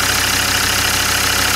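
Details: Land Rover Discovery 2 diesel after injector loom replacement. An even, regular idle with a steady beat and no skips or stumbles, running on all cylinders. Definitely no misfire: normal idle.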